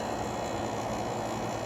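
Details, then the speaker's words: Fedders 7500 BTU window air conditioner with Rotorex compressor, cleaned, started in spring with heater blowing on it, blowing cold; steady even hum with airflow hiss, no knocking or rattling, compressor normal though slightly loud. "okay the compressor sounds how it normally would at this point"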